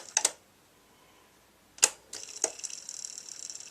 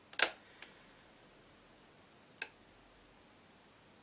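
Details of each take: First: B&O Beocentre 2200 cassette deck, old machine on first power-up, rewind would not engage: on fast-forward a few sharp clicks as the mechanism engages, then a thin steady whir of normal fast winding; play did not work afterward. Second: Bang & Olufsen Beocenter 2200 cassette deck on first power-up with an old tape after rewind worked: a few sharp isolated clicks in a quiet room, then no tape running; play will not engage.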